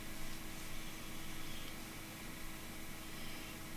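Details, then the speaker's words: Pentium 4 Socket 478 retro gaming PC powered up: only faint steady fan whir and hum, no beeps and nothing on the monitor; no POST, fans running; cause not yet found. "but it appears to be dead i don't want any blips or anything out of it and there's nothing on the monitor"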